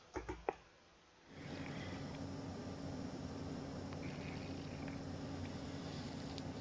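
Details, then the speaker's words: Floor water leak detection, room floor with wall leak: equipment pressurizing the line, after taps a faint steady hiss with low hum rising through the floor as air escapes; leaking pipe found. "예, 소리가 들리셨는지는 모르겠는데 소리가 쥐익 하고 이렇게 올라옵니다. 장비를 물어놔서 이제 공기가 빠지는 소리인데요."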